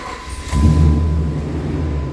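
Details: Restored third-generation Dodge truck started after the work was finished: it cranks briefly, catches at once and settles into a steady, even low idle with no misses or knocks.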